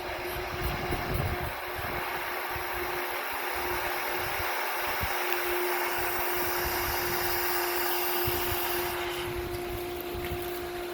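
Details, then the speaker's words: Hayward pool pump on a pool/spa combo system, at start-up: steady pump hum with a loud airy hiss as air bleeds from the vacuum release while the system fills with water; normal priming. "when we start our system up we're going to hear the air hissing out of this vacuum release right here as this fills up with water that's priming the system"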